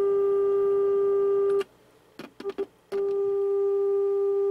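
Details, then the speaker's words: Jackson Bell Model 62 tube radio, RF generator test signal heard through the RF stages: steady mid-pitch tone with brief click dropouts; weak RF amplifier tube, stages not yet tuned, new tubes awaited. "now this tube's not very good but you can hear it works and here's our third RF amplifying it even more so it's amplifying this bad tube but you can hear and again I have not tune these either so this stage may be a little bit off tune from these"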